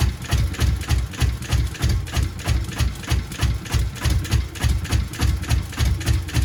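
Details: Subaru Impreza GC8 with EJ207 STi shortblock, intake manifold lifted and some plugs pulled during troubleshooting: heavy, uneven low thumping about three beats a second, engine stumbling and barely holding idle; rough idle.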